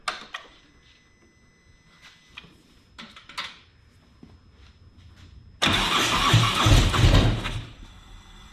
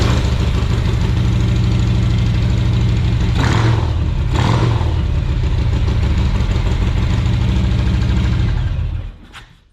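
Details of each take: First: 2017 Harley-Davidson Tri Glide with failing fuel pump, pump line unplugged to run fuel out before removal: a few quiet knocks and clicks, then loud rough V-twin run about two seconds before dying from fuel starvation. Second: 2017 Harley-Davidson Tri Glide after new fuel pump assembly and filter install: big twin fires and settles into a steady, even loping idle without the old pump whine, then shuts off cleanly.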